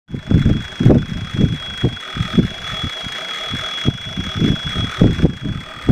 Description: Howell TBI whistle at idle on AMC 304 V8. Vacuum Leak or Normal noise for a Howell? Seems like a vacuum leak whistle to me but I've been told these are noisy, just not sure what the noise should be.